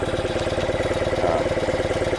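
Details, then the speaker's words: 1976 BMW R90S 900cc boxer twin with cleaned Dell'Orto carbs (accelerator pumps in slides), during carb sync at raised idle: uneven, lopsided beat between cylinders; one side drawing more air, slide higher, carburetors out of balance. "I found the bigger rent still a little little higher on this side when I say that I mean slides higher because more air is being drawn in"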